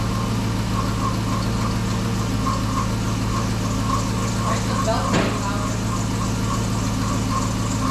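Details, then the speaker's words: 2007 Chrysler 300 with donor Hemi engine swapped from a 2006 300C, first start, no mid pipe: idle with a pulsing mid-pitched whine over steady rumble, power steering pump groaning from low fluid after the system was emptied. "that would be a lack of power steering fluid which we knew was gonna happen that was completely full oh it was but you still had to fill the whole system up"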